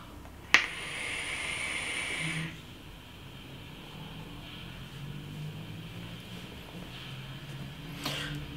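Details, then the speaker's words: Aspire Tigon pen-style vape, 0.4 ohm coil, direct-lung draw, airflow fully open, about 25–28 W bypass mode: two-second airy hiss during a draw, stopping cleanly; smooth unrestricted airflow, satisfying vapour. "deuxième tirage vous avez vu ça donne quand même une quantité de vapeur satisfaisante on est sur une vape directe dite restrictive autour de 25 28 watts"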